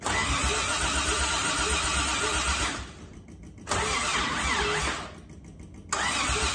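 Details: Old carbureted six-cylinder Toyota Crown, carb overhauled and starter replaced earlier, fuel filter added: starter whirs the engine in bursts of about three seconds with pauses, never catches; crank no start, cause unknown (carb, fuel pressure suspected).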